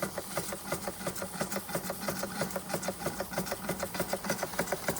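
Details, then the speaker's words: Antique Bing 130/382 poppet-valve steam engine on original burners, about 15-16 psi, condensation going up the chimney: light, quick, even chuffing with a crisp tick each stroke, about three a second; normal running. "You can hear the condensation now. Going up the chimney. So it literally just kicks it off."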